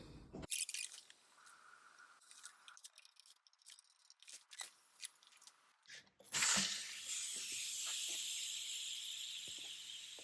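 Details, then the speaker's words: Rover P6 3500S V8, unrebuilt engine, leak-down test with rocker shafts removed so valves are shut; handling clicks then steady moderate air hiss, no roar or gurgle, a good sealing cylinder: normal leak-down test hiss. "d we're here we have a pretty good cylinder for uh an unrebuilt engine"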